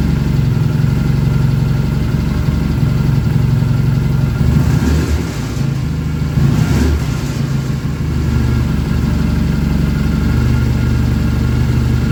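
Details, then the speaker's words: BSA engine freshly rebuilt, first start: steady low even-firing idle thump with a brief throttle blip, no knocks or rattles; good oil return flow, oil-pressure light out, charging shown. Normal idle. "try to get that dialed in a little better and uh but yeah the engine sounds really nice"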